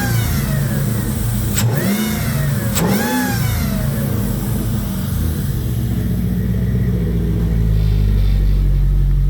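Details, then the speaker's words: 2002 Jeep Grand Cherokee 4.7 HO V8: two quick revs then even steady idle on all eight cylinders, faint power steering pump whine on top; miss gone, owner suspects a carboned-up cylinder 3 spark plug. "Well, the miss is gone. She's actually running on all 8."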